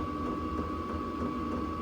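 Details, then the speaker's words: Hcalory diesel air heater in a camper, its LCD thermostat throttling down in a warm room: steady fan hum with a thin constant whine and soft low pulsing, even at reduced output; normal low-output running. "it's going to control itself. No matter what I set it on, it'll control itself. Yeah, you can hear it really slowing down now."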